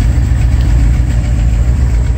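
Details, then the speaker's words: 1980s Mercedes 380SL V8 idling after cleaning the air control valve fixed its high idle: deep uneven, stumbling beat from a miss in one cylinder; exhaust problems also present. "But I had some other problems with its exhaust. But you can hear it. It's got a miss in"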